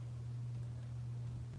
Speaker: So, y'all hear that smoke taker that loud though? I hear it's almost become background noise to me by now though.